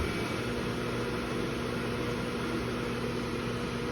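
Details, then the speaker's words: KitchenAid microwave hood combination KMHC319LSS00 (made Sept 2023), uninstalled, running its 6-speed vent fan at reduced speeds 4 and 3. A loud, constant droning hum from the fan motor at the back sits under the airy whoosh, louder than the fan itself. "that extra hum is still maintained pretty prominently at speed 4 and speed [Music] three matter of fact it seems like it's the hum is louder than the fan were itself"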